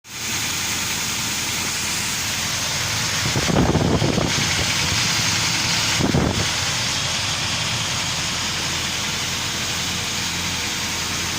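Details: UAZ Patriot engine at idle: steady idle with a dull, regular tapping about four times a second over it; engine knock, source not determined.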